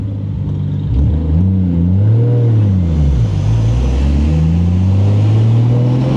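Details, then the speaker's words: 1989 Toyota Supra, stock-block 2JZ-GTE, BorgWarner S362sxe turbo, T56: level 2 boost, about 20-21 psi, close to redline; engine pitch swings with revs under load, pulling cleanly without stumbling or knocking. "Level 2, 20 pounds. I took it all the way close to red line."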